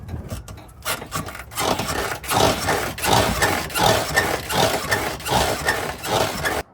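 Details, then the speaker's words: 2007 Honda Pilot rear shocks making noise before replacement: dry, woody creak repeating with each bounce, about eighty per minute, as the rear rocks; worn rear shock absorbers. "hey what's up today we have this 2007 Honda Pilot there's noises coming from the rear shock so I'll be replacing them with these new ones"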